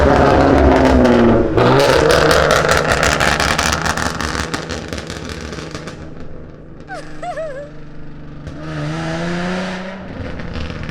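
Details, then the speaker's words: V6 Ford Mustang, catalytic converters removed and fully straight-piped, on a drive-by: very loud, raspy, trumpet-like blare on acceleration that fades as the car passes; loud straight-pipe exhaust. "It sounds so bad. Ooh. Imagine people coming here to meditate at a park, and then they hear this Mustang. It almost sounds like a trumpet. This V6 full straight pipe Mustang. Sounds fully straight piped."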